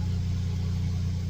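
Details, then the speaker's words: Generator run in the background to charge solar batteries: steady, even low drone with no misses, knocks or surging; generator running normally. "And I'm up to run the generator. You can probably hear it in the background. Charge the batteries up."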